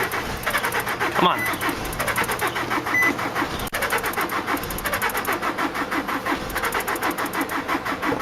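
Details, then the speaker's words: 2003 Nissan Altima 2.5 with a blown engine, sitting 8 months, jump-started: uneven, slow starter churning with no firing at all; cranks but no start for lack of compression, flywheel reportedly bad. ">> UNFORTUNATELY, THIS ONE JUST WON'T FIRE. IT DOESN'T HAVE enough compression to engage."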